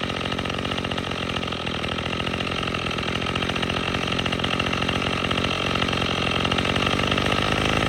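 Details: Troy-Bilt TB22EC two-stroke string trimmer after replacing the old primer bulb to cure a no-start from sitting: buzzy note holding a steady, fast, even firing rate with no misses or surging; running cleanly while trimming.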